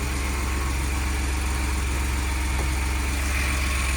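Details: 2020 Ford F-150 that sat about a month with no-power, no-start complaint, running after jump start while scan tool connected: steady even low idle with smooth regular pulse, no misses or knocks; normal idle.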